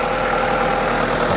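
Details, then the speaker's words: 1994 Toyota Hilux Surf 1KZ diesel after viscous fan hub replacement and 10-blade fan upgrade for overheating: steady idle with strong, even fan whoosh, no knocking or squeal; fan not yet fully kicked in; all sounds normal. "But yeah, everything's, everything's sounding good, so I think we're gonna call it a day."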